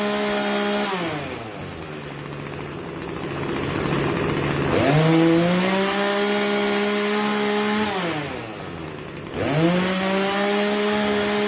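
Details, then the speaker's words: Craftsman chainsaw that bogged under load, after the high-speed carb jet was turned about three-quarters of a turn clockwise: it revs cleanly to full speed and holds pitch under cutting load without bogging; it runs healthy. "anyways that you could hear the difference in it running high speed prior to and after"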